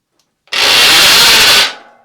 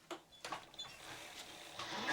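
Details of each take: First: Giant Twist Double e-bike, ~30V, Sanyo front hub motor, wheel on the ground under hard pedalling: harsh high rasping grind for about a second, then dies away; worn internal hub motor gears, to be replaced. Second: Giant Twist Double e-bike, roughly 30V, with a Sanyo front hub motor just fitted with new internal gears after the old worn gears caused noise. On a stand with the front brake squeezed for load, the motor whine swells and eases with no grinding, so it sounds healthy.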